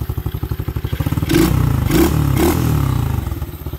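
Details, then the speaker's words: Apollo 125cc ATV after upgrade to fully adjustable aftermarket carburetor (stock ran lean) and throttle cable adjustment: steady thumping idle, three clean blips; slightly noisy valves possibly need adjusting, runs well with more power. "kind of here a little noisy but i think sounds good"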